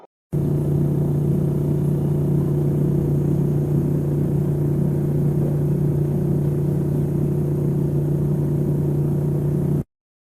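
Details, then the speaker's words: LG refrigerator: steady low buzzing rattle from the cabinet vibrating; touching the cabinet stops it, meaning the unit needs to be solidly levelled or it is touching a wall. "if the noise is like this and you can touch the cabinet and get it to stop it's just like earlier more than likely the unit just needs to be solidified"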